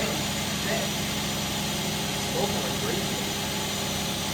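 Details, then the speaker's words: 1992 Toyota Supra MK3 that sat over 20 years, rotted fuel lines, started on jump pack; earlier starting-fluid attempts knocked. Now a steady, even idle with a constant low hum and no knocking. "as you can see before we we were trying to start it with start food you can hear the knock but there's no knock"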